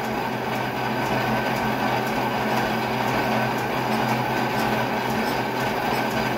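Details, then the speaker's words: Oversized long drill bit chattering while machining pins for a mini excavator: loud steady rumbling grind with faint regular ticks over spindle hum, the drill struggling in the cut. "it's probably stupid to use a drill bit this long anyways i really don't sound happy that's for sure"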